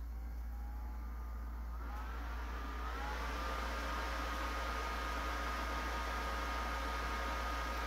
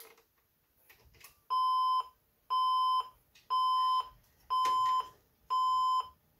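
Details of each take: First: Older shop-stored Pentium 4 PC at power-on, CPU heading for 3.2 GHz and into turbo mode: steady fan hiss climbs in pitch then settles into a louder even tone; normal fan ramp-up under load. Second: Older junk PC with an IDE hard drive and four RAM sticks: on power-up it gives five even long beeps at a steady mid-high pitch, about one per second.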